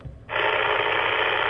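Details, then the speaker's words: Ham radio tuned to the 146–147 MHz range near a Rexing dashcam: a steady harsh buzzing hiss that doesn't let up; likely camera oscillator interference persists even with its power unplugged while on, stops when moved about 3 ft away. "yes I can move the dash camera about 3 ft away and the interference stops"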